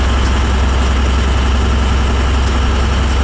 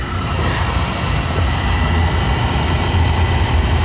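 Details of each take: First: Oil burner making black soot and black chimney smoke, tripping out; deep heavy roar with uneven lumpy pulsing, choked up, coughing, spitting and sputtering instead of a steady flame: burner sputtering. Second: Oil burner that had been putting black smoke out the chimney, fired up again after service while draft is checked: steady, even low roar with no surging or puffing; normal burner operation.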